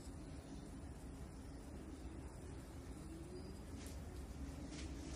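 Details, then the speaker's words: Samsung side-by-side refrigerator RSH1DTMH after the fan noise repair and reassembly: only a soft, steady low hum, with no scraping or ticking from the fan. Running normally. "princípio não tem barulho nenhum problema foi resolvido ok a geladeira sem nenhum barulho"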